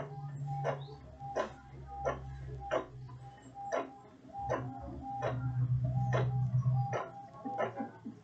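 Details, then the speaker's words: Epson L3110 printer: sharp mechanical clicks repeat about every 0.7 seconds as rollers cycle without pulling paper in; paper won't load and paper jam light blinks. "it's now blinking paper jump blinking from the paper jump because the paper does not load so that's the problem"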